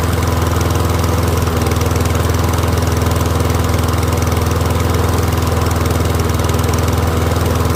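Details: Troy-Bilt Briggs & Stratton rear-wheel-drive mower after ultrasonic carb clean, warmed up with faint smoke; steady even single-cylinder running at constant speed, no misses or surging; healthy.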